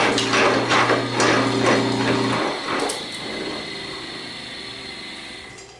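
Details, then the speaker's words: Homemade helve power hammer driven by a 1.5 hp electric motor through a post drill with flywheel, temporary motor mount, capacitor housing missing: steady hum under even blows about 2.5 per second, then motor cuts and hammer coasts down; normal working speed. "so I am satisfied that's going to be both fast enough and slow enough if that makes sense"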